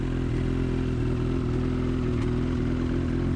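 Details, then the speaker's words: New 2019 Ski-Doo MXZ Blizzard 600R E-TEC two-stroke, stored a year in its crate, run only minutes before, cold and in break-in mode: slightly uneven, lumpy idle with faint rattle and the windshield shaking; rough idle before warm-up. "rough idle you see the windshield shake in there a little bit you just hold that it kinda stops but I'll let it warm up a bit"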